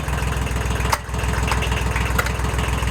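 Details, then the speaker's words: Kubota L1802 diesel tractor with front loader, glowed and started after cleaning a hydraulic valve; hydraulics had stopped working, air suspected and the pump first blamed: steady low, even idle chug with no knocks or hydraulic whine, hydraulics working again; normal idle. "We'll turn to the outside. Unbelievable, it's working again. Huh, perfect."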